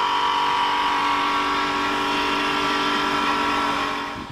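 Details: Toyota Sienna/RAV4 AWD with all wheels raised, in drive: steady rough growl with ringing tones from the rear driveline, a worn rear viscous coupler bearing, louder with speed and constant.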